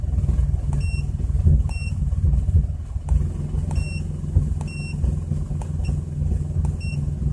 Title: 2004 Chrysler Crossfire OBDII Readings with Rough Idle